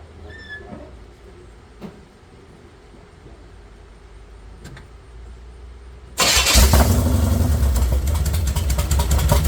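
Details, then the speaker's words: Chevy 454 big-block V8 swapped into a Pontiac LeMans, first start-up on open long-tube headers with no exhaust fitted yet; after a quiet wait it fires abruptly into a loud, raw, rapid bark and keeps running cleanly. Normal start-up. "She firing off. I'm excited. I'm excited."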